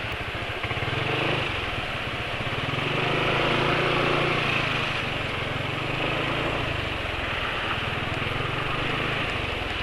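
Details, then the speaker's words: Motorcycle engine running on BM1 oil additive about 100 km after oil change, after hard high-rpm riding on Pertalite fuel; harsh uneven buzzy running with coarse rattle; owner suspects the additive performs poorly at high rpm. "ini penulis pakai ngebut ternyata suaranya jadi makin kasar ya"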